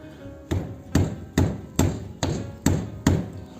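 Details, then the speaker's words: Mitsubishi Outlander brake caliper after fix with new pads and springs tensioning pads against caliper: seven solid thuds, each dying cleanly with no rattle, caliper sits tight; normal brake caliper, knock gone. "стук пропал tomoya уже вторая машина везде так делаю никаких проблем ни с колодками не со звуком"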